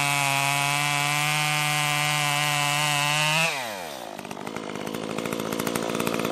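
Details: Stihl MS 194T top-handle chainsaw after muffler mod (inner baffle removed) and tuning, cutting red oak; steady high-pitched scream pulls down sharply as it bites the wood and keeps cutting without stalling, cutting normally under load.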